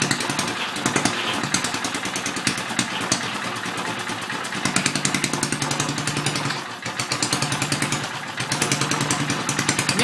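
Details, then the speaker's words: Antique circa-1959 Briggs and Stratton 2 HP single-cylinder, first start after complete rebuild: pops along unevenly, sagging and stumbling, stalls hard; carburetor out of adjustment, needs more fuel. "oh i don't know what that was about stalled kind of hard there need some more fuel"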